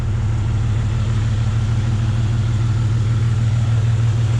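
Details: Jeep Cherokee one-ton swap build after newly welded full exhaust: steady low rumbling idle with even exhaust pulse, no leaks, ticks or misfires; normal idle.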